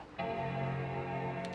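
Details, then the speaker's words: iMac after repair of a power-circuit fault that had stopped it powering on: board status LEDs 1–4 now light and a single sustained chord rings for about 1.5 s, the normal startup chime showing the machine boots. "แต่ถ้ามีเสียงนี้ก็ถือว่าเป็นเสียงที่น่าฟังนะครับเท่ากับว่าเครื่องเราออนได้แล้ว"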